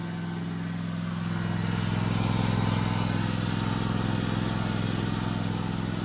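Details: Toro TimeCutter 5060 zero-turn mower running after an oil change with fresh oil topped up: even, steady thrum from the small twin with a regular low beat, no knocks or rattles; sounds healthy.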